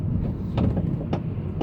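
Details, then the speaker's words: 2013/14 Honda Civic G9, about 20 days after purchase, driving: dull knocks about every half second over road rumble from the right front suspension, very loud. "Então, pode ver que o barulho é muito alto, né?"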